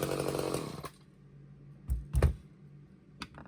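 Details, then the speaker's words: Old Craftsman chainsaw after Walbro carb clean/rebuild and new fuel lines, jets opened up, half choke: high, raspy two-stroke buzz for under a second before cutting out, then handling clatter; it fires and runs after the carb work. "Sweet. Burning off a lot of old crappy oil in there in the exhaust."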